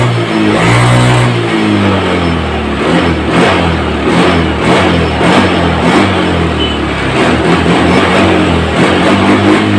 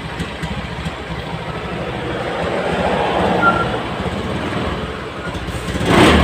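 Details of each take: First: Honda Scoopy FI scooter, previously sputtering and lacking power, after repair. The engine revs up and drops back cleanly, with prompt, normal throttle response on each blip. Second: Honda Scoopy FI scooter with no MIL blinking stutters badly and loses power when throttled, engine chugging and stumbling; fuel pump pressure was tested normal.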